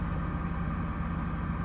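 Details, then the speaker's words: Custom Ford F150 V8, first drive in six years: low, steady idle with a faint uneven chatter underneath plus electric fan noise; running slightly rough, owner considers new spark plugs; rough idle, cause suspected, not confirmed. "but think sounds good I don't know uh it is running just a little rough"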